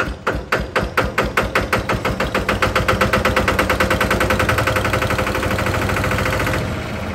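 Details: Single-cylinder Lister diesel on a Benford TS25 radial swing concrete buggy, recently repaired, fresh oil, low hours, new tires. Slow heavy chuffs after cranking pick up smoothly into a quick, even beat with no knock; healthy start and run.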